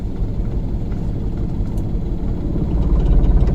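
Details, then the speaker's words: Manual car in first gear, clutch slowly released to biting point: steady low idle rumble deepens and loads up as clutch bites, sound changing where clutch should be held; normal take-up, nothing abnormal. "ఈ sound వచ్చే దగ్గర exact ఆపాల."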